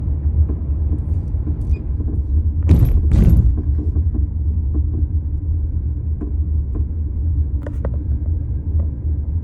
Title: 1999 LS400 Suspension sounds. Clunking sound, spring compressing sound, loose part sound.